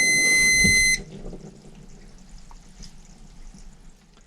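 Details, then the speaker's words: Rinnai V65iP non-condensing propane tankless water heater, just reassembled after servicing the fan motor; one sharp high-pitched beep: error code 34, combustion air temperature sensor fault (check airflow, vent, sensor wires, resistance, clean sensor). "okay I looked up what code 34 is and it is a there we go combustion air temperature sensor fault check for restrictions and airflow around the unit and vent terminal check sensor wires for damage measure resistance a sensor clean sensor"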